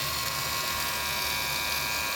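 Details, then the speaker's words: Wahl premium red clipper guards rattling: running clipper gives a high, steady buzz with a thin rattling edge as the snapped-on guard chatters against the blade; fixed by gently bending the guard's small metal clip. "I got three different ones right here that I rattled so if this is going on with you guys is guards there's the video to watch on how to fix it"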